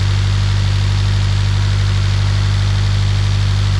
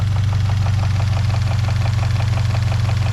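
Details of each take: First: Scion FR-S with 1JZ-GTE VVTi turbo swap, automatic, idling: steady even low hum, healthy, no knocks or misses at idle; owner notes a slight knock at high rpm, told it's piston slap. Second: 1JZ-GTE VVTi engine in a 2013 Scion FR-S: idle sounds healthy, but at high rpm a light steady knock of about 200 a minute rides over the engine note; owner was told it is piston slap but is unsure.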